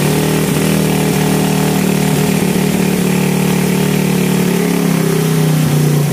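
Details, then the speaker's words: 2014 Satria FU bored-up single after the idle adjuster was cut and tidied: a steady, even idle with a smooth low beat and no hunting. Normal idle; the header still leaks slightly and the exhaust neck needs replacing. "Oke, untuk setelan stasioner sudah berfungsi ya. Knalpot masih agak bocor."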